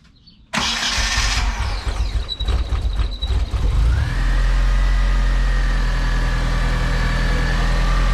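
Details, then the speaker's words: DSM engine's first start after head gasket job, cam install and timing tensioner repair: cranks, catches and revs, then settles into a smooth, steady idle on its own with no ticking or knocking. "I definitely hear already a subtle difference on the idle. Oh yeah. Sounds good. Are you holding the gas pedal? No, we're good. So it's idling on its own. The motor sounds pretty good. No ticking."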